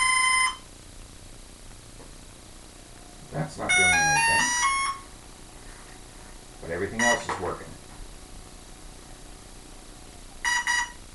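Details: Hobbyking F4U Funfighter with a FlySky six-channel receiver bound to a Turnigy 9X. Rising startup tones, then short beeps repeating every few seconds, and the motor doesn't respond to throttle. Owner suspects the speed controller is bad; cause unclear.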